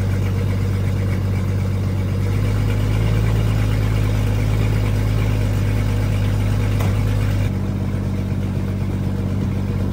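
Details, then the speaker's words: 30-year-old Jeep Grand Cherokee ZJ, super cold start after sitting days at 30s–40s°F: loud, raspy idle with rapid puffing tick about four times a second; exhaust leak, holes in exhaust. "all right hopefully you can hear me over that exhaust so we definitely got a leak there"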